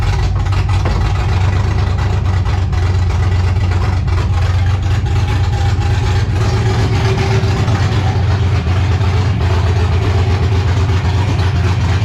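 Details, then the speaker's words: 1984 G-body Cutlass with LS swap and ProCharger running Holley Terminator X EFI. After the throttle screw is opened a bit further, the deep V8 idle hunts and stumbles and runs rich with eye-burning fumes. It runs somewhat better but still needs full tuning. "Yeah, this thing needs to be gone through, man, and check everything, because it just needs to be tuned at this point."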